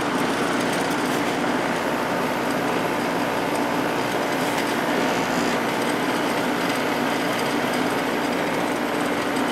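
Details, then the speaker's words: Vintage 1972 GE Slumberline 6,000 BTU window air conditioner, GE compressor drawing about 6 A, fan on high: steady fan rush with even low hum, no rattles or clicking; compressor quiet, frame-transmitted vibration audible; normal compressor start. "the compressor itself is very quiet it's just the vibration that's being transferred through the frame that you can [Music] hear"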